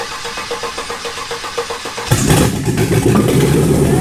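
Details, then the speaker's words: Shop truck started on a tractor battery: the starter grinds about four times a second for a while, then the engine fires and settles into a full, even run. Oil pressure was not checked. Normal start and idle. "Hey, she fired up. Did fire up though. Took a little bit to crank to start it, but I think it sounds healthy."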